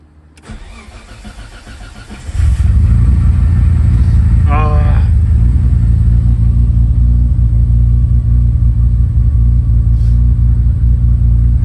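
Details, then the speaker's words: Nissan GTR after a quick repair with some bypassing: brief cranking, then it catches cleanly and settles into an even, steady idle with no stumble or misfire, and the fuel pump is still audibly priming; it starts better than it has in a while. "but started absolutely sweetly there it's not started that good in a while to B honest"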